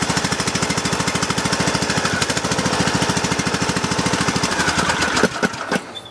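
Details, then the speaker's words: Craftsman LT2000 lawn tractor with a single-cylinder engine, throttle down and no choke, battery low after sitting almost two weeks, jumper pack attached: slow, labored cranking about three beats a second, possibly from moisture after overnight rain. "Starter sounds like it's a little teeny there for a second. It did rain last night quite a bit."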